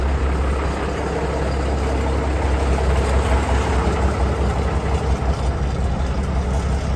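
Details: Peterbilt 362 cabover diesel after sitting four weeks, cold start after battery charge and 10 gallons fresh fuel, no longer smoking: low, even steady idle, valves faintly audible, smoother and quieter; normal idle.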